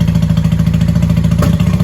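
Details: 1995 Honda Shadow 600 VLX VT600CD V-twin in the shop, pinhole fuel leak still unfixed: steady, even low-pitched idle with a regular thump and no knocks or rattles; normal idle.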